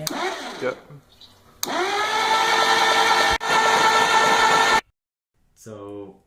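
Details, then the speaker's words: 1961 Willys Jeep pickup 6-226 engine cranking after carb rebuild and ignition work confirming spark: starter whirs fast and even in bursts, no compression beat, no firing; stuck valves, later unstuck, lubricated and lapped. "as you just saw in the last clip, there were a number of stuck valves, and like Johnny mentioned, we got them unstuck, we lubricated them, we lapped them, and that was after attempting to start it after the carb rebuild, and we had done a bunch of ignition work to make sure it had spark, and it still didn't start"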